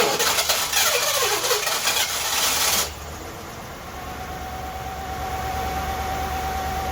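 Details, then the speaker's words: '82 Ford LTD after a carburetor rebuild, restarted after an earlier backfire: it cranks, catches and settles into an uneven, lumpy idle with a faint steady whine. It runs rough; the cause is unconfirmed and bigger engine issues are suspected. "guys we did it it's running it was running it was running"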